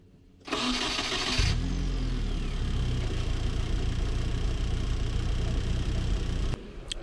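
A second of cranking, then it catches at once and settles into a smooth, even idle with no misses; healthy start.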